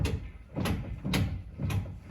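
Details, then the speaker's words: 2017 Ford Raptor on jack stands, clunking on deceleration from 4th to 3rd: wheel rocked back and forth gives four dull clunks about half a second apart, excess lash near the gearbox driveshaft; cause suspected, not confirmed. "there's definitely an audible sound there. And there's the front there. All right, this is the drive shaft of the gearbox. I definitely hear an audible sound in there."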